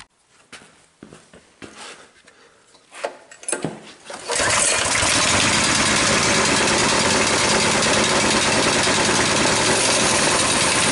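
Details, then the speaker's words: Coleman BT200X minibike, crashed and tipped in mud, run with a temporary fuel tank and line: catches after a few pulls and holds a fast, steady high speed, never returning to idle; governor not pulling the throttle back, spring possibly stretched. "so what did we observe we observe that when the engine is running this Governor isn't pulling back enough to let the engine idle there's always this constant tension on here"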